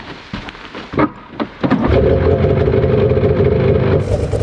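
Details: Arctic Cat Cheetah 440 snowmobile engine, previously rough-running, now on 5W40 oil, settles into a steady, even run with no knocking. It runs well but is a bit smoky; owner suspects worn piston rings.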